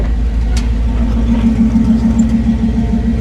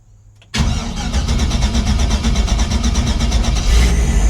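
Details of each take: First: LS-swapped Chevy C10 on first start with ACES Jackpot 2 fuel injection, charging voltage reaching 14.2: deep, steady idle with an even low pulse around three and a half per second, no hunting or misses; normal idle. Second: Chevrolet C10 with LS swap and Aces Jackpot 2 fuel injection, first start after sitting a couple weeks: three seconds of cranking, then V8 catches into a slightly uneven, lumpy idle; rough running, same earlier issue, cause unclear.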